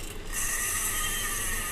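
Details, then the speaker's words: Ceiling fan rotor spun by hand, giving a dry, raspy grinding hiss from a worn bearing that needs replacement. "Okay, మనం ఈ bearing మార్చాలి."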